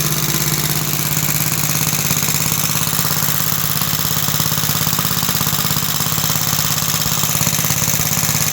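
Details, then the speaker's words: About 66-year-old 1960s English Suffolk single-cylinder engine after carb clean and new plug wire: steady thump about 2.5 beats a second with dry metallic rattle on each stroke; owner places it in the starting mechanism, which has oil in it. "There is just a rattle somewhere. It is in the starting mechanism and I know there is oil in."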